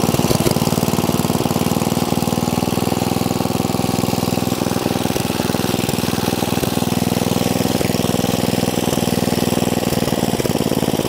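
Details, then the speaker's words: 1972 John Deere 56 mower with swapped-in engine, seals redone and carburetor cleaned, air filter off: uneven lumpy single-cylinder chugging with stumbles; running rich, carburetor belching fuel despite rebuilt seals and checked vents and valves. "the mower runs it will drive but it is belching fuel out the carburetor like there is no one's business"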